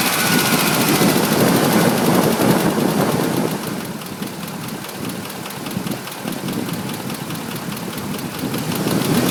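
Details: 2005 Ford F150 5.4 L V8, just under 89k miles, regularly serviced with Motorcraft 5W-20: rapid steady ticking knock about three per second over revving, present at all rpm, new in recent days; suspected cam phaser, unconfirmed.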